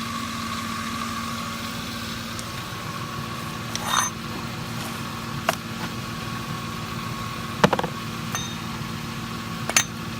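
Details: Ford F150 at idle, filmed at night: quiet idle with steady whine, faint tick and light rattles from a worn belt tensioner and a couple of idler pulleys; truck was quiet again after replacement.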